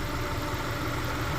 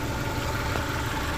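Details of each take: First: Subaru Impreza bugeye idling, injectors heard firing: steady, even idle with smooth low drone and no ticks, knocks or misses; sounds healthy. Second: Subaru Bugeye daily driver at idle: thin metallic buzz over the engine note, a loose-sounding vibration the owner suspects is the exhaust, not yet fixed or confirmed; AC compressor not engaging, likely low-pressure switch.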